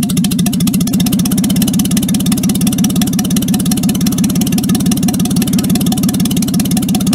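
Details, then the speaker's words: Jaguar XK6 inline-six in a homemade aluminum boat-tail speedster, tuned after towing to the yard, no exhaust: loud open-pipe idle with a steady, even pulse at constant speed, no misfires or knocks; normal idle. "so once we got it towed up into the yard here we spent a little bit of time fiddling with the engine to try to get it running nice and smoothly and you'll hear for yourself in a minute here just how good this jaguar xk6 sounds once it's idling"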